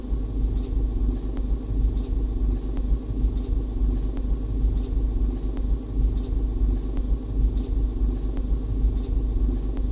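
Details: Opel/Vauxhall Meriva B: short high squeak from behind the dashboard/center console, repeating about every 1.5 s while creeping; faster when accelerating, slower when braking, absent at speed; owner suspects something spinning linked to car movement.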